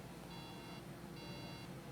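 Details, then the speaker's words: MacBook logic board 820-3330 at power-on: two bright even beeps about a second apart repeating over faint hum; beep error, cause unknown, checking rails for short to ground. "all right I'm just going to make sure that it's still beeping while I'm working it's going to beep beep beep"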